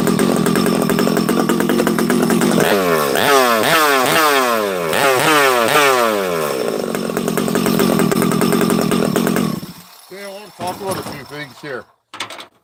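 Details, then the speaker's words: Freshly built Husqvarna 371XP chainsaw at its first start, bottom end still full of assembly oil: revs blip up and back down with a blubbery, uneven low end before shutdown; running rich while the oil burns off. "a couple things here friends you hear how you hear how rich it is on the bottom this thing's got oil"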